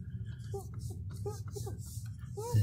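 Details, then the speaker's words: 2000 Toyota Camry at idle: short rubbery cat-like chirping squeaks as the steering wheel turns, from the steering column area just above the brake pedal, before lubricating it with WD-40. "It's just right above the brake pedal, and this is the area right here that you need to lubricate. Now, that's where the noise is coming from."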